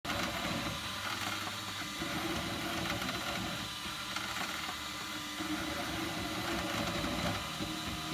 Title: Ultimaker 2 Extended + - Creaking sound